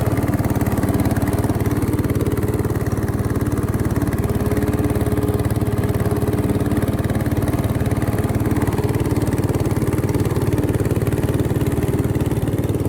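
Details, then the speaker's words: 1968 Bolens Husky 775 Husky Pup lawn tractor, restored and swapped to a Hatz 1B30 V diesel, mowing: even, fast diesel clatter with a steady beat, no knocks or stumbles, pulling the deck cleanly, normal running. "a functioning mower tractor it is well that was the restoration of a bolan's Husky"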